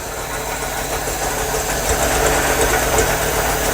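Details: MGB 1800cc engine, first run after years, cold idle with the choke off: uneven, lumpy beat around four pulses a second with irregular spacing; lumpiness probably down to no choke. Fuel pump ticking at rear. Rough cold idle.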